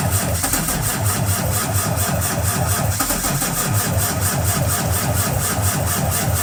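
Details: Cummins ISX15 diesel, cold start attempt: steady rhythmic chug of the starter turning the engine over with no firing or pickup; cold cranking, no start.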